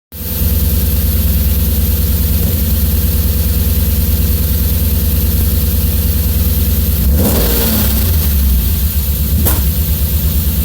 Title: S50 misfire warm